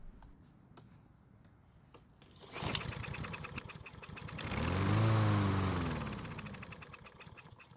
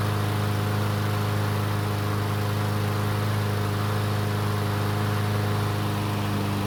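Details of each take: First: Troy-Bilt mower with auto-choke carburetor, not starting after winter storage, hand-primed with fuel: catches, surges a few seconds, then dies; runs only on prime, fuel not reaching engine, main jet suspected clogged. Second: Troy-Bilt single-cylinder mower that wouldn't start after winter storage, test start after repair: runs steady and even with no stumbles or misses; sounds healthy, though it began burning some oil after about 20 seconds.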